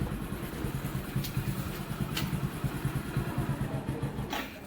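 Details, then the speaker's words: Hero Passion Pro idling after clutch plate replacement: soft, somewhat uneven low single-cylinder thump with no grinding or rattle from the clutch side, where it previously rattled on clutch release; running fine. "अभी वैसा कुछ आवाज नहीं कर रहा [संगीत] है बिलकुल स्मूथ चल रहा है अभी कोई दिक्कत नहीं है बढ़िया चल रहा है"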